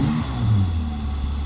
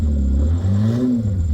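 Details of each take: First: Holden Commodore V6 Ecotec after fitting new exhaust: deep even rumble as it revs and settles, no big backfires when backing off the accelerator; healthy exhaust note. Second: Holden Commodore V6 Ecotec, $200 cheap car, old exhaust before new 2.5-inch sports exhaust fitted: loud raspy low drone rising and falling with throttle blips, far too loud and open; exhaust leak, broken before the muffler.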